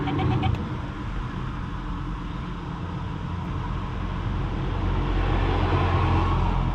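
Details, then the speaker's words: Fiat Panda 4x4 1.2 8V cooling fan still running with the engine off, after fixing a poorly earthed fan wire that had stopped it switching on; steady whir with a rough, uneven drone, fan motor sounds worn and unhappy, owner may replace the fan. "I switch the engine off and try it again now the the car is off but the fan is still running and you can hear I wouldn't call that a happy"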